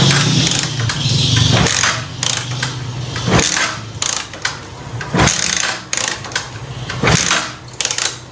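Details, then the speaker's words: Euro Cafe Racer motorcycle that won't start despite having spark and fuel, repeated kick-starting: uneven kicks about every two seconds, engine never catches; no-start. "Ayan. So nakailang sipa na tayo. Ganun pa rin mga ka-biker."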